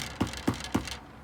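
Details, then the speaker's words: 2019 KTM 300 EXC TPI after its first service at 5 hours: bouncing the front fork gives sharp metallic clunks about four a second, a loose internal rattle beyond normal spring chatter; fork going to be checked, cause unconfirmed. "So guys, the only thing I could fault with the bike was some excessive spring chatter from inside this fork."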